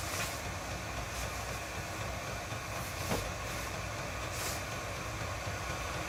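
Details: Chinese all-in-one diesel parking heater in shuttle bus RV conversion, first test fire on high just after ignition, fan ramping up, output warming: steady rushing blower roar with constant burner hum, no surging or popping; normal running on high.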